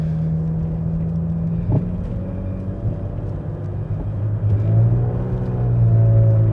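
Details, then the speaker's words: 1995 Mercedes E320 W124 wagon, automatic, accelerating through 1-2-3 upshifts: engine drone drops at upshift then revs briefly climb before it grabs; transmission shift flare, owner suspects loose accelerator or Bowden cable. "hopefully the transmission flare in fact let me show you how bad the flare actually is"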